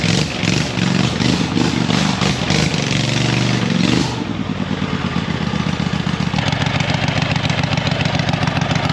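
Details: Hustler zero-turn mower with swapped V-twin engine, new carburetor and fuel system, no exhaust yet: loud lumpy open-pipe rumble with uneven firing, settling into a rough but steady idle; running with open exhaust.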